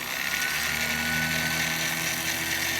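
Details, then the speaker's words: Yard-sale $5 sewing machine motor (rewired) powering a homemade universal pillar tool, used to drill ash pan sheet metal: steady even whir with constant hiss, not too loud, lower pitch than a Dremel; running normally. "so it's not terribly loud what I like about it is it's not as high pitched as my Dremel so it's funny the pitch changes when you go into drilling mode"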